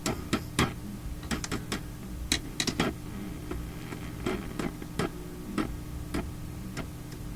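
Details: Philips Sonate BA581A vacuum tube radio under repair; irregular sharp pops and crackles in uneven bursts over low hum, very sensitive to touching parts, crackle source not yet isolated.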